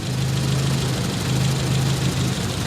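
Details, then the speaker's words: Nissan 200SX S12 dual-coil engine, intake coil powered by exhaust-side signal: low lumpy idle with stumbling firing pulses, runs awful; signal ruled out, owner suspects fried intake coil; rough idle misfire. "like crap that's awful so it runs like dog dooo running on the intake"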